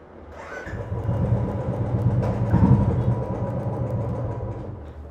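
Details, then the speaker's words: Motorcycle on stand, throttle opened: revs climb slowly over a couple of seconds and sag without crisp snap; pickup delayed, cause not yet identified. "अगर आप घर में डालकर अपनी गाड़ी को स्टार्ट कर न लगना रिक्वेस्ट करके ऐसे के डालकर पावर लेना चाहते हैं तो पॉवर बड़ी देर में मिलती है"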